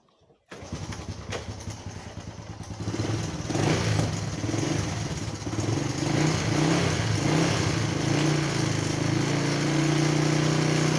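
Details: Small single-cylinder motorcycle after topping up its engine oil and warming up. Starts, idles and blips smoothly with no top-end rattle. It is quieter because oil has reached the automatic timing chain tensioner and lubricates the chain.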